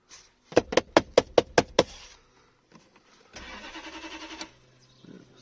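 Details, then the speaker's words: 1992 Lexus LS400 1UZFE V8, after fuel pump replacement: about seven quick cranking strokes, roughly five a second, never catches; cranks but won't start because injectors are not firing (not earthing). "LS400 I've worked out that the injectors are not firing the fuel pump's definitely working now injectors are not firing"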